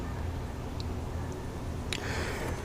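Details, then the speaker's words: 2011 Sea-Doo RXT aS X 260 jet ski: low, dragging churn with slow, uneven beats as the engine turns over sluggishly and never catches; labored cranking. Owner suspects the old battery or the aging starter, which shows external corrosion; not confirmed. "Well, this battery is not the newest, so that's one thing. And I know the starter is also not the newest."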